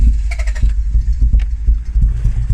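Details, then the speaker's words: Mk2 Toyota MR2 sat 14 years, recommissioned with fuel added and spark plugs refitted: a few ragged firing pulses over a low rumble, then it catches and runs unevenly on its own; engine starts. "that's running yeah that's running [Music] she runs right"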